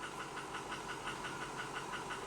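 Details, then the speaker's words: 2005 Ford F250 6.0 Powerstroke with rebuilt 190cc-plunger injectors, 30% over nozzles and turbo: uneven idle with rhythmic knock that stumbles; power balance shows cylinders 3, 2, 6 high, worn spool valves from core injectors suspected. "Yeah, you can see number 3 keeps going high. So we're gonna figure that out. Number 2, number 6. I bet you I have spool valves."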